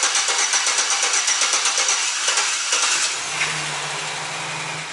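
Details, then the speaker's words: Service truck with newly installed engine, fluids topped off and A/C charged, first start: quick even cranking about three seconds, then catches and settles into a steady smooth idle hum; healthy start. "settle everything down sounds really good then i'll recheck all the fluids and everything"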